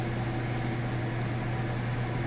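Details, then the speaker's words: Whirlpool top-load washer on final spin at full speed: steady low hum with no thumping or rhythmic banging; smooth operation, tub not off balance, normal. "Sounds great. Nice smooth operation. You can see it's not off balance."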